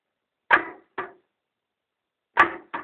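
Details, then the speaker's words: 1995 Polaris SLX 780 jetski that died after landing off a wave: two dull thumps, a pause, then two more, and it never turns over. No spark on all 3 cylinders, stator resistance in spec, cranking voltage 14.2, driveshaft won't hand-turn; owner suspects ignition/CDI or seizure. "so this is the sound uh it's not going to turn over it's just going to make a sort of a"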